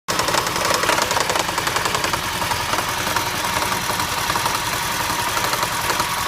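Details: 2008 Toyota Prius idling with an uneven light knocking of about two beats a second over a steady hum; first thought to come from the transaxle, it was an ignition misfire from a bad igniter/coil on cylinder 1.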